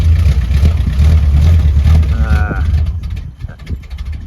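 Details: 1976 Dodge Coronet ex-CHP car, 440 V8: the big V8 chugs and lumps unevenly at low revs, then sags and fades; it's only firing on a few cylinders.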